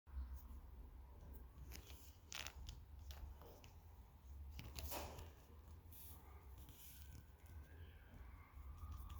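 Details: Aftershokz Aeropex bone-conduction headphones, just over a year old: irregular dry clicks and rattles with each movement, pointing to a loose part inside.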